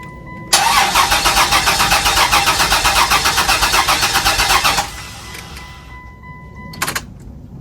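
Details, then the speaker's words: 2001 Chrysler Prowler, sat about three years with an overheating history, on a substitute charged battery: starter cranks steadily about four seconds and never catches; no fuel in tank, crank no start. "All right. Looks like we don't have gas, so that's probably going to be an issue."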